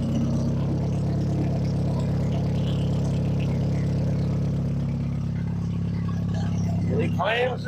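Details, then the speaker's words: Sundance four-cylinder idling right after timing belt, water pump and tune-up, just restarted; steady, even low hum with no ticking or knocking. Normal idle; no funny noises. "Nothing did anything goofy. Everything spawn happy. No funny noises."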